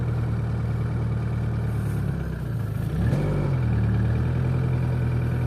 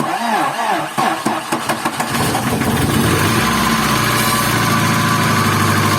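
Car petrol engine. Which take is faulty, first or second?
second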